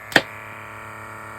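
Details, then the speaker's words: Electric diamond painting pen with USB-powered vacuum pump: click at switch-on, then a steady, fairly loud whirring hum with no change in pitch; the fan part makes the noise, and setting it on fabric does not reduce it. "That is quite noisy. I think you can hear that. I wonder if I can put it on something material. Yeah, I suppose you can't cover, it's the fan part that's making the noise."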